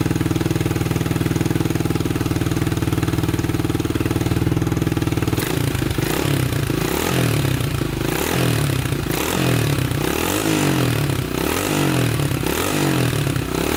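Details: 1987 Honda 250X single after new valves and new coil, idle adjusted up: fires after about five seconds and settles to an even, slightly raised idle with steady beat; normal idle after warm-up.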